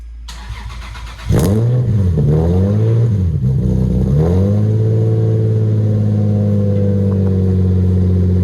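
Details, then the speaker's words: Lexus SC300 first cold start after its broken exhaust was redone and fastened up tighter: starts promptly with a quick blip, then settles into a deep, smooth, even idle with no rattles, leaks or ticks; sounds normal again. "It sounds normal again. Oh yeah. Cut it. It sounds like a normal car again."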